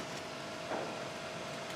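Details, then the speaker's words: Grindmaster ESP2 espresso machine after rebuild, powered with heating element drawing 237 W, water float level good, no leaks, group heads on; cooling fan runs with a soft, steady whir, no rattle or scrape, normal. "hear the fan running we turn the group heads on we're getting water"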